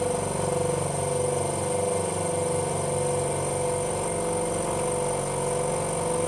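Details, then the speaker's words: 50L twin air compressor on test run, cycling on pressure switch: steady motor drone with an even thump about 100 times a minute, smooth and unbroken, helicopter-like; pumping normally. "It's worth having it turn off. Sounds like a helicopter, don't you think? It does. Sounds like a Chinook."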